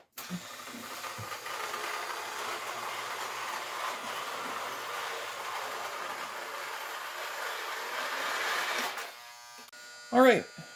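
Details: Lionel 2018 postwar locomotive with what is believed to be a 243W tender on KW transformer, after shell removal, lubrication, cleaning, E-unit check and wiring work. Even electric buzz holds steady about nine seconds, then winds down; the motor runs smoothly and sounds healthy.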